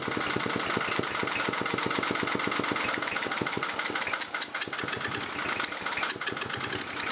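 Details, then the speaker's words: 1987 Briggs & Stratton 11 HP electronic-ignition engine: rapid single-cylinder firing, uneven stumbling beats and sharp knocking; air drawn past a worn throttle shaft bushing stops mixture adjustment. "The bushing gone in the throttle shaft there. That's another reason I couldn't get it to run. It was pulling air in there, and I was trying to adjust the mixture and just couldn't get it."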